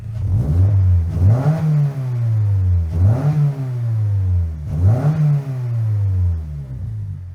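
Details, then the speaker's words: 2025 Toyota GR86 with JDL front pipe plus overpipe and HKS single-exit exhaust, recorded by the exhaust: three sharp blips to about 4,000 rpm with a raspy, breathy edge on each rise; exhaust leak also heard at shutoff. "No, bro. You can hear the leak it go when you try to shut off the car."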